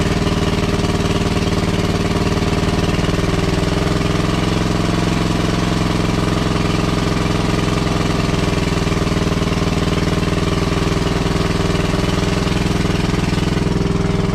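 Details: WWII Chore Horse 300-watt battery charging set, model CH1 395-5, original 1940-41 paint, cleaned not refinished: loud, steady rapid single-cylinder chugging at even speed without stumbling; runs healthy and works great.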